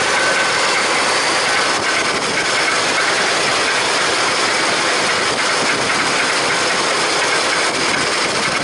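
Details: Busy, fast, light metallic ticking from the top end just after start-up on a test run, not a deep knock; suspected valvetrain, unconfirmed; ticking later barely there, valve job and carburetor repair planned next.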